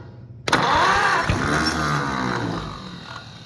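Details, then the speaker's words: Oliver 70 tractor, first runs after a starter rebuild, engine leaking fluids, at full throttle: catches after cranking, runs unevenly and dies. It seems to fire on only about two cylinders, but the motor doesn't sound bad otherwise; the cause is unconfirmed. "starter still cool to the touch we only hitting on a couple cylinders or what well good news the motor doesn't sound bad when it does run"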